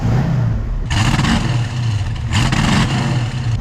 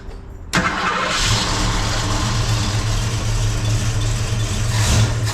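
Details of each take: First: 1971 Ford Mustang convertible 302 V8, 180 psi compression on all cylinders, accelerating past half throttle: runs rough and uneven with ragged bursts breaking up the pull, a bad misfire under heavy throttle; cause not yet identified. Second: 1971 Ford Mustang convertible 302 V8 after rejetting the Holley carburetor one drill size (about an 80 jet): catches quickly, steady lumpy idle, clean blips with no stumble; vacuum about 13 at idle, slightly oscillating; runs much better.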